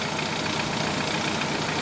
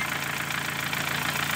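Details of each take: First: 2013 Dodge Forza after cylinder misfire repair: steady, even idle with no skips or stumbles; engine smooth and healthy, fixed as it should be. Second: 2013 Dodge Forza with a strong engine fault (speedometer also dead); the car misfires although no misfire codes are stored. Rough, uneven stumbling idle: cylinder misfire.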